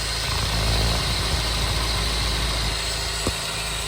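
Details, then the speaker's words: Honda S2000, 200,000 miles, idling, heard through a screwdriver stethoscope on the idler pulley's center bolt: steady rough, gritty hiss; worn idler pulley bearing, to be replaced. "that's basically what you're going to hear but that pulley is bad"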